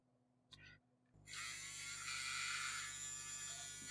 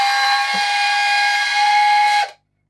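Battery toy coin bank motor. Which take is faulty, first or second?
second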